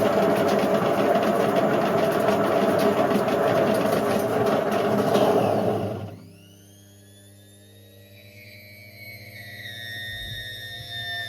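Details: Indesit IWC71453 washer with failed drum bearings, the drum wearing into the plastic: a harsh, heavy roar during its fastest spin yet, then a quiet wind-down; the belt then got caught.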